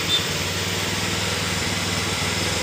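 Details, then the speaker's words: Honda Beat FI scooter that stumbled when the throttle opened, after cleaning and idle air adjustment: light, even buzz at idle with a steady beat and no stumbling or misfire; normal idle. "hidup dengan normal Coba kita tarik tuas Apakah ada brebet atau tidak"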